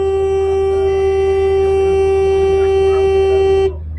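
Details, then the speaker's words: StopMyEngine anti-theft system on a campervan: after Bluetooth disconnects, the engine is cut and the vehicle brought to a slow, safe stop, then the horn blares one loud unbroken note for several seconds and cuts off abruptly, the alarm working as designed. "And then the horn is going to start blaring away any second. Come on, horn. There it goes. Now the horn's blaring."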